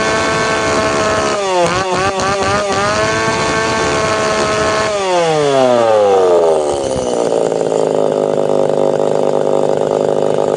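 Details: Tanaka PowerMate PMS340 two-stroke pruning saw, warm engine, after fuel delivery system repair; revs up and drops back with a ragged, unclear note and no crisp top end; needs a little more tuning.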